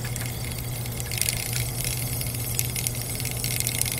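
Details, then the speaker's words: Small rotary DC compressor in a mini refrigerator with cap tube, just after shutoff: thin high squeal and whistle with hiss over low hum as pressure equalizes, suspected leaking back past the rotary vanes; cause not confirmed. "normally when a compressor shuts off with a cap tube like this at least a reciprocating compressor the pressure equalizes through the cap tube and what happens with this one is it will start to squeal and whistle"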